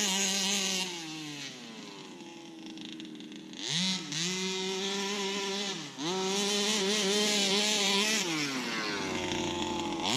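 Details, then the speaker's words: Customer's Baja 5B RC car, small two-stroke engine, test run on open field after reassembly with new pull start: screams through rev sweeps, raspy and rough at top end; owner first blamed general wear or worn barrel; worn crank bearing. "But yeah, the engine's got a bit of a raspiness at the top end, but I think that's just because of general wear and tear. It's like the barrel is worn, but it's got plenty power."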